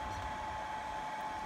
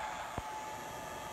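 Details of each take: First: Steady soft whir with a thin constant whine from the cooling fan on the charge controller of an experimental off-grid 25.6 V A123 lithium pack solar system, running evenly and normally. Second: Inverter in experimental A123 lithium NMC 25.6 V pack solar system, output running above 120 V, no load connected: thin steady high-pitched buzz over charge controller fan hiss; inverter buzz at no load.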